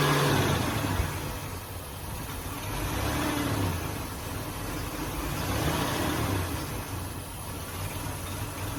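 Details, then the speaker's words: 2005 Ford Taurus after new idle air control valve and ignition coil, not fully warmed up; idle slowly rises and falls, never settling, later stalls; owner suspects air sucked in somewhere up top, unconfirmed. "see how it's jumping real bad sounds like I hear air coming out of somewhere else I I can hear air coming sucking in something sucking air in somewhere up in here and it's not this"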